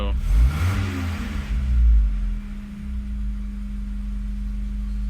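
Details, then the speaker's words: Mazda Miata on Megasquirt being idle-tuned, engine cranked long and stumbled on catching; revs flare and fall back, then sag low before settling to steady idle, should not drop below 750–700 rpm; idle dip after throttle blip. "You know, you don't want it to drop below really 750 or definitely 700. You want it to be up higher when you blip the throttle."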